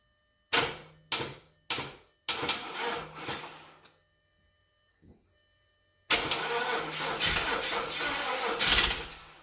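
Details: Audi A4 2.0T turbo: several short starter bursts, then a long steady crank that never catches or speeds up; cranks but will not start.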